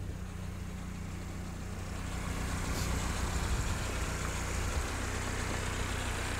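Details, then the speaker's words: 77-year-old Willys Jeep, engine hot and idling right after being driven and stopped: steady, even low idle with a smooth beat, no sputtering, stumbles or misses; normal hot idle, engine running sweet. "it's not you know sputtering not sputtering or doing anything weird straight away from going from hot driving to just suddenly stopping so that's really nice the engine is really sweet"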